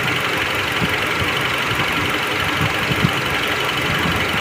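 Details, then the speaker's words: Hyundai Creta automatic (stated as both petrol and diesel) with no fault codes: a faint, irregular, hunting stumble at idle, a light misfire. Dirt was found in the fuel pump. "थोड़ी थोड़ी है ना hunting कर है गाड़ी देख रहे हो देखिए देख रहे हो ना मतलब हल्की सी मिशिंग है"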